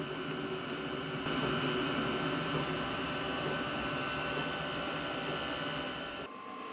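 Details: HCALORY HBH2 5L 8kW diesel parking heater being switched off after warming a garage workshop: steady fan whir with faint light ticking, then a clear drop in sound as it winds down; normal cool-down cycle.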